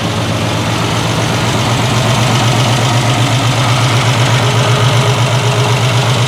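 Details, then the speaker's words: 1968 Triumph TR250 restoration, running on jack stands while checking gears: steady idle with an even low pulse around four beats a second, no misses or knocks; running cleanly and sounding better. "all right we're getting there sounding better anyway"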